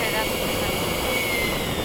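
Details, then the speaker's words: FMS/E-flite 80mm 12-blade ducted fan being balanced at the flying field, this run being the best-balanced position; smooth, steady high-pitched whine with no wobble or pulsing in level, running evenly and well balanced. "that last one was the best all right so what we're gonna do now this is the best one"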